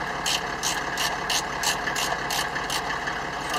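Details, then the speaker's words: Land Rover Defender fitted with a 3.0-litre six-cylinder Mercedes-Benz OM606 diesel and an automatic conversion: idles with a steady light clatter and an even rhythmic tick, no knocks or misses; sounds healthy. "so if you're thinking that doesn't sound like a normal land rover you're right it's a three liter six cylinder"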